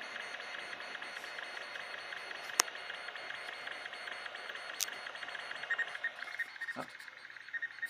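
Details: MFM hard drive in an 8088 PC during a disk speed test: a steady high whine from the spinning platters, then quick irregular ticks as the heads jump around; ordinary random-access seeking.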